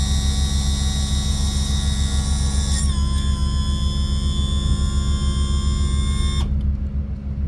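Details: Yamaha F300 outboard on a Grady-White 307, cold 42°F day, after trim seal replacement and bleeding: steady trim pump hum with smooth tone shift midway as it reverses; no gurgling, bled and healthy, normal operation.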